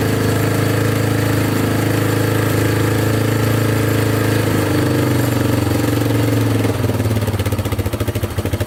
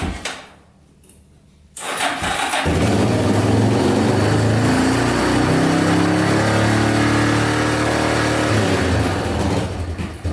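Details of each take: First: Yamaha Wolverine 350 4x4 ATV after a carburetor clean and fresh fuel; the single cylinder runs steady and revs out freely without the choke, though still smoking heavily; normal revving. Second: Yamaha Wolverine 350 4x4 ATV (1999 registration), first start after adding oil and cleaning airbox: catches after short crank, lumpy uneven rev, only runs with choke on, smoking heavily; poor running from plugged carburetor jets (owner also suspects rings/valve seals for smoke).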